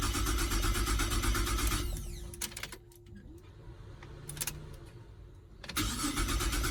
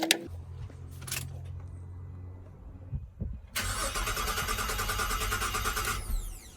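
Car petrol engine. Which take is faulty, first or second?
second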